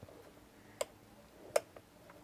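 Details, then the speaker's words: Non-digital portable ceramic heater (750/1500 W, high/low fan): three crisp single clicks about 0.8 s apart in a quiet room; rollover/tip-over safety switch snapping over normally. "listen to this the rollover safety switch listen"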